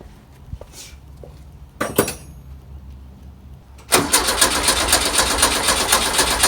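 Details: 1967 VW double cab air-cooled engine after replacing a wrong distributor O-ring to fix an oil leak: short crank, then it catches at once and settles into a steady, even, clattery idle; normal start and idle.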